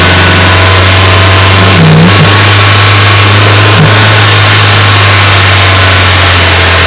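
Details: Renault Wind / Clio III 1.2 turbo 100hp, mic under the bonnet, held at 2000 then 2800 rpm; a rough hiss and whoosh on the throttle blips. The noise came from the faulty original Bosch 0280142118 dump valve, replaced with an adjustable recirculating one.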